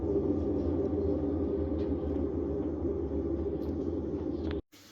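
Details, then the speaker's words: GE washing machine after replacing failed drive belt with genuine GE belt, empty drum with lid locked: smooth, even hum and steady low rumble, no slapping or squeal; spin cycle running properly. "I don't know if you can hear it or not but it is spinning now"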